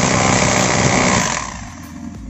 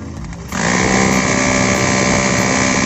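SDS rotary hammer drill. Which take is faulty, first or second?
first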